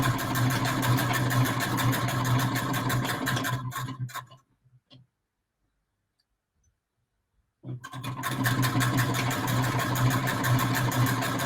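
Quick, even stitching chatter, pauses for a few seconds, then resumes at the same steady pace; machine sewing smoothly.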